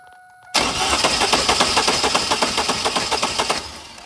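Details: 2000 Chevrolet Camaro that won't run, cranked with the key and a spark tester inline from a coil: even starter churn about four beats a second for three seconds, no firing; spark confirmed present, cause still undetermined.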